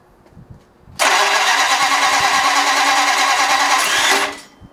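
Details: Flathead Ford 8BA race engine on a run stand, after thinning the head: three seconds of harsh starter whirring that never catches, then dies abruptly; cranks but won't fire, starter stalling, ignition timing or firing order 180° out suspected.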